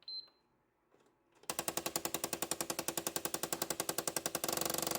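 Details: PS5 Slim disc drive after the console was dropped: faint beep, then a harsh rapid rattling grind at about two per second that turns into a buzz; the damaged drive makes noise and no longer works.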